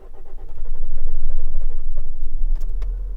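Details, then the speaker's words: 2006 Nissan X-Trail T30 2.2 dCi diesel with a new fuel filter and hoses. The starter churns about four times a second for a long crank before it catches into a rough idle, which runs up to 1500 rpm when cold. Cause unconfirmed. "So you see it eventually starts. The idles actually came down a bit. When you start it for cold, it's up to 1500 RPM."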